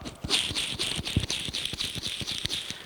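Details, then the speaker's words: Cleaned old bearing from a LeBlond lathe's three-phase motor, spun by hand: a gritty, sandpapery rasp with quick uneven clicks, rough and worn, so it was replaced with new ones. "this one's a little bit worse but uh you know it sounds like there's a little bit of sand paper in there they just don't sound that great"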